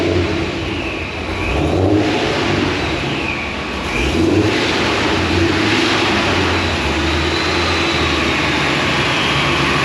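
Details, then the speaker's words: Pontiac GTO with large injectors, idling after being tuned on the dyno; owner says it never idled like this before. Steady, even idle with no hunting or surge. Smooth idle, surging gone. "Listen to it idle. This car's never idle like this. No more surging. I love it."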